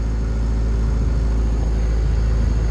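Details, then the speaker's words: 1995 Honda Civic coupe (VTEC), check engine light still on, not overheating: a steady drone with idle stuck near 2000 rpm, dipping only slightly. Owner is unsure whether VTEC explains the higher idle; it drives fine. "The check engine light is still on, and for some reason right now the RPMs seem a little up, or seem a little high actually. So the RPMs are right now are at 2K."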